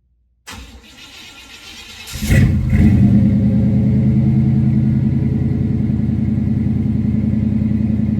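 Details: 1990 Chevy square-body Suburban V8 with dual exhaust, cold start after sitting all summer: cranks under two seconds, fires cleanly and settles into a steady even idle with no misses or knocks; normal cold start and idle.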